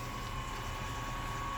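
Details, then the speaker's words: Brand-new Spike Flow brewery pump moving water from a bottom-drain kettle through a 1.5" tri-clamp line: steady high whine near 1 kHz over a liquid rush and motor hum; the whine may fade as it breaks in. "A little bit of whining out of this one. Again, both the Blichmann and the spike flow have had, some noise issues here and there with individual pumps."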